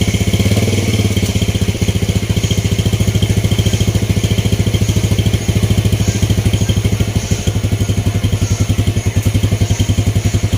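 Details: Vega R motorcycle with DC ignition, idling after an ignition check with the CDI installed and spark plug fitted. Small single cylinder putters evenly, each firing pulse clean and regular, no misses or knocks.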